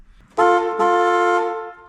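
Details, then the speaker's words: 1970 Dodge Challenger slant six, long parked and rat-infested: two loud, steady, bright horn blasts sound with no button pressed. A crossed horn wire keeps it live, and rats are said to have hot-wired the horns; a new wiring harness may be needed. "I mean, the horn's not engaged here, so there's a wire cross."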